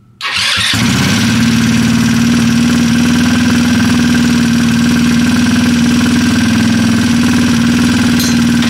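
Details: Freshly assembled Trailmaster 150 stroker single-cylinder engine with cleaned head and valve job: catches on first crank, settles into steady buzzing idle about four pulses a second; even, healthy.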